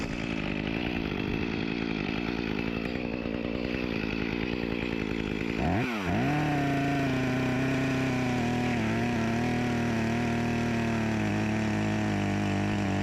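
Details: Echo CS-352 chainsaw repaired with a replacement carburetor and gasket after starting then dying, cold-started: a quick rev settles into a steady high whine that holds even; runs clean and pulls fine, with a slight bog blamed on a dull chain.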